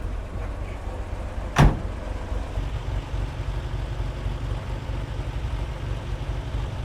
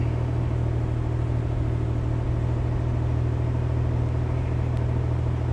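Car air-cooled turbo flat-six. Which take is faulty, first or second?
second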